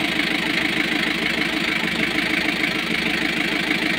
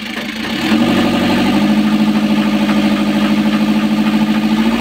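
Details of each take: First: Newly overhauled Kia KC2700 diesel that had hard, slow cranking: idle clatter with an uneven beat that stumbles and surges. Misfire and hunting idle persist; a fuel supply fault is suspected and the injection pump strainer is to be checked. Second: Freshly overhauled Kia KC2700 diesel, previously hard to start with slow cranking, starting after heater use; catches after a few cranks and settles into a steady even idle, no longer stalling. Problem solved.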